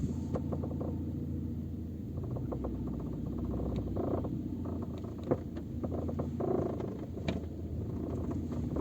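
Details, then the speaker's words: Peugeot 407 crawling in first gear, phone on the rear parcel shelf: light irregular clicks and tapping over a rolling rumble. The rear seat backrest latch rattles in its striker loop; the fix is wrapping the loop with electrical tape. "так причина нашего постороннего звука сзади кроется в замках задних сидушек слушаем знакомы звук"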